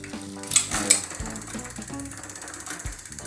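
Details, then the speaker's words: Rough, uneven ratcheting clicks and grinding from a bicycle's rear wheel, an entry-level bike, as the pedals turn: a worn freewheel (catraca), not the hub or axle. The chain can derail into the rear derailleur, so replacing the freewheel saves the derailleur. "é quando você escutar esse som na roda traseira você já vai saber minha catraca tá com problema tá então faz a substituição dela porque você vai estar economizando um câmbio traseiro"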